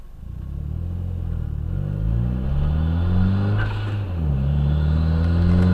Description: After installing 2J FMIC have a trumpet noise when full throttle once boost kicks in higher than 8+ psi its there.